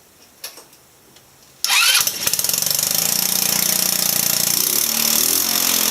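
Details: Backyard-find Velocity 150cc scooter, first start after hooking up a new cable: fires up suddenly and runs with an uneven stumbling beat, kept alive only on throttle, stalls off throttle; rough running, cause not found.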